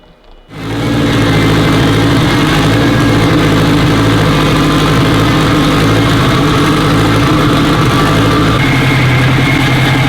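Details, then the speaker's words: Honda Civic Si with a newly built engine and DC5 Creations turbo kit, after the tuner's light map adjustments: fires right up and settles quickly into a steady, even idle, no misses, hunting or knocks. Sounds healthy. "She sounds mint. A couple light adjustments in the map. And the old girl fires right up."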